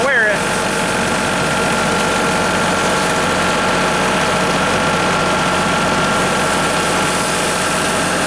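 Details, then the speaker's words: Tractor-mounted branch sweeper running: steady even engine drone with no grinding, crunching or clatter; drive sounds healthy. "seems like it's working pretty good don't hear any funny noises grinding or crunching or breaking change or nothing well that's good"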